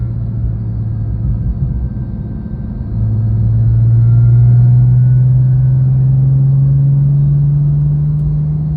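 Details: Porsche 997.1 Turbo: steady low whir rising in pitch with engine speed from a worn bearing in the idler pulley just below the A/C compressor, on the belt drive.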